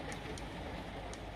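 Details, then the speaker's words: Power tool battery on charger: faint sharp paired clicks over a low hum, no LED; battery at just over 9 volts and dropping, not accepting charge, cells suspect. "does not want to charge it looks like it's charger but it's not I've had ones like that before when you hear that clicking sound it's not happening"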